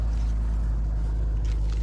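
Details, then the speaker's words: 2004 MG ZT-T 180 V6 after a misfire repair in which unplugged coils were replaced, idling with a deep, smooth low hum and no skips or stumbles; it runs evenly on all cylinders with no engine management light. "absolutely stunning inside gorgeous car and we'll do the engine start it even sounds more urgent sounds amazing"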